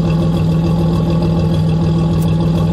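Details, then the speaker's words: GMC Jimmy with a 4.3 Vortec V6, which had vibration and excess fuel consumption with a gasoline smell, after repair and fully cold: a smooth, even idle with a steady low drone and no misses. Normal idle. "abrirte a la cambiante está completamente enfriar y el móvil es escuchar pero bien bonito se escucha prácticamente parejo"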